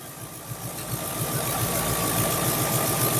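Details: Triumph Stag Mk2 during ignition timing and balancing of standard Zenith Stromberg carbs: steady low idle at about three to four pulses a second, speed drifting slightly; unsteady idle, choke mechanism suspected of interfering.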